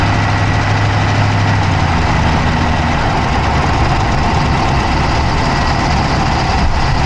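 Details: Dodge Charger Hemi V8 at steady idle, recorded inside the engine bay on the passenger side with an Insta360 Go3: quick, light clicking rides over the top and keeps pace with the engine; a fast tick of unknown cause.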